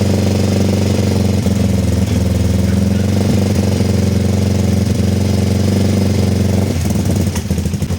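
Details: Kawasaki ER-5 twin, stored 2–3 years and previously dying at full throttle, idling cold on a weak 10 V battery just after carb refit with new fuel-inlet O-rings: lumpy, slightly hunting beat with occasional stumbles; uneven running, cause suspected, not confirmed.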